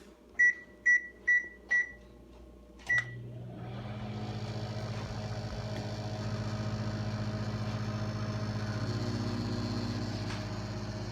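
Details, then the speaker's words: GE Sensor microwave oven cooking hamburger and rice: four quick keypad beeps, then steady low hum with fan whir holding even; heat kicks in, good working condition. "Heat is kicking in, so that's a good start. Hear the heat kick in? It's perfect, good, working condition."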